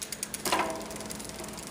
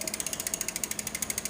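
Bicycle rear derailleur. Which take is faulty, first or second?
second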